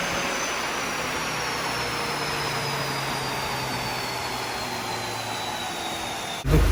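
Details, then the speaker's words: Audi TT turbo, 229,000 miles, on the dyno after fixing boost/vacuum air leaks, DV and servo hoses and dipstick tube: smooth, even pull with steady turbo whine climbing cleanly, no misfire or hiss; healthy, power regained. "Let's try it on the dyno. See if we've got any of them horses back. Well, that sounds better."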